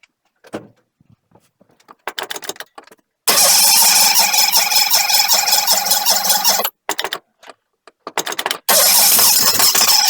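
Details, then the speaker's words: 1985 Chevy truck cranking after a fuel pump change, alternator bracket broken and belt loose: harsh, uneven cranking bursts with a high metallic whir; starter noise, owner suspects the starter needs a shim. "it's running again no starter sounds like it needs this gym that's an easy fix"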